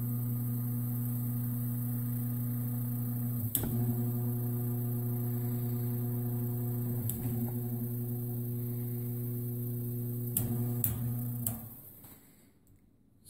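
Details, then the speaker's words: Vintage Patton high-velocity fan motor run with the blade removed, after a safety check: a smooth, steady low electrical hum with a few handling clicks and no rubbing or rattling. It runs normally. "sounds like it's working let's put a the Finn blade back on and give it another whirl"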